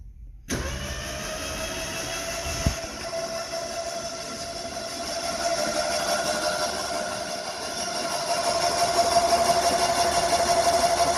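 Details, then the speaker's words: Neglected French car engine, spark plugs removed and oil in cylinders, cranked via start wire to check for seizure: steady even starter whir with regular cranking beat, no binding; engine turns over freely, not seized. "let's try it that sounds good let's justlet turn over for a little bit"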